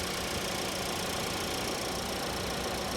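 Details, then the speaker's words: 2024 Mitsubishi Outlander, new 2.5 L four-cylinder, damaged auction vehicle: steady, even idle hum under a fair bit of hiss, no knocking or uneven beat; normal healthy idle. "and it sounds like a Mitsubishi they just have that they just have that sound"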